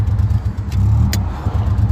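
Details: Chevy Impala six-cylinder daily driver while driving: low uneven rumble that stumbles and pulses irregularly, clearly not firing on all six, possibly only three; owner wonders about rod knock, brakes also failing; engine misfire.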